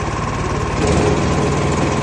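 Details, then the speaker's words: Wood chipper's small petrol engine, choke pushed off after starting, idles at low revs; smooth, even, steady pitch with no misses or knocks, normal idle. "Tagad vēl kādi minūti parūti tādos mazos apgriezumos, lai iesūst motors."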